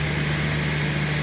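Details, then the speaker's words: Grain winnowing fan's small electric motor, speed previously fluctuated on garage supply from the meter; after switching to the solar inverter it holds one even hum with no rise or fall in speed, steady healthy run. "Стабільні обороти тримає. Як чуєте, двигунчик працює рівно. Не, нема, нема оцих плавань."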